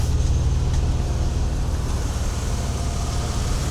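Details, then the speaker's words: Mercedes W126 300SEL after oil pan repair: the petrol engine idles smoothly with a steady, even low hum and no knocks, misses or ticks. "Let's listen to the engine. Very smooth. The engine sounds very"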